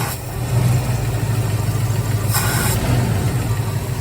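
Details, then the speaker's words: 1983 Ford Mustang GT junkyard rescue: rev is fine when easy, but snapping the throttle open makes the note climb then sag and fall flat. Stumble on throttle opening; a quarter-turn carb mixture adjustment planned. "yeah you can hear it kind of fall in its face"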